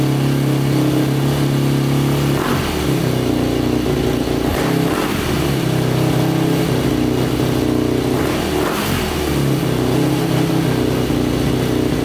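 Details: 2005 Yamaha YFZ450 big-bore single after rebuild, restarted after fuel tap likely left off: runs steadily with a few throttle blips, picking up and settling cleanly without misses or knocks; sounds healthy though the pipe glows red hot.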